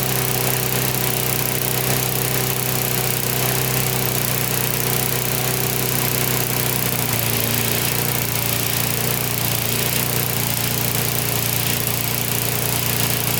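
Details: Older Briggs & Stratton 3.5–4.5 hp mower engine with carb on metal tank, after carburetor diaphragm replacement and cleaning: steady, even drone for the whole run with no hunting or sputtering. Running right.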